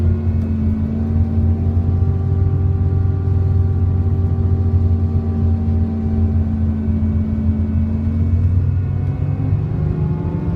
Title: SCANIA K380IB bus hydraulic fan strange noise！